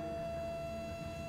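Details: Home heat-recovery ventilation system at high airflow, suspected improper installation: clear steady high-pitched whistle over soft airflow hiss, from air forced through a crushed, narrowed duct.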